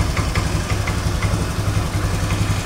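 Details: Honda Scoopy FI automatic scooter, after fixing stalling on throttle release by raising the idle setting: the small single settles into an even, steady idle pulse with no hunting or dying off; idle healthy.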